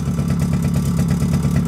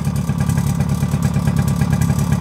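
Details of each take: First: Suzuki LT50 two-stroke started on choke after sitting 5 years, with two-stroke oil added to the petrol: steady fast even idle, slight rattle from clutch springs, a bit smoky; running well, idle slightly high. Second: Suzuki LT50 two-stroke quad first start after 5 years sitting, on choke: loose, uneven metallic rattle riding over the idle putter at about three per second; rattle from the clutch springs.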